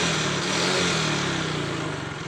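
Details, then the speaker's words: Yamaha Mio GT scooter: the engine note falls after a rev and a loose, light clatter from the rear CVT comes through on throttle release. The rattle fades at high rpm and is worst when revs drop to idle. "Ya udah teman-teman bisa dengar suaranya kletek ya kletek nya terdengar sekali temen-temen tekek pada saat lepas gas"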